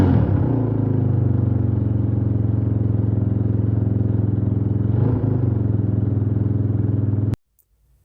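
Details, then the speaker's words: Suzuki DR350 single, unrun for over ten years, test run with choke off. Steady low idle thumping, one brief stumble near five seconds, then it shuts off; later it backfired and quit: running acceptably. "Turn the choke off during that test run, and it seemed to run okay."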